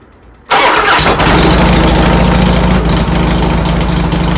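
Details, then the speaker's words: Harley-Davidson Twin Cam V-twin after installing Accel coil-on-plug ignition replacing the stock coil and plug wires; catches at once and settles into a steady loping idle with no misses or clatter; running normally. "Clean install. And it worked great. Sounds good."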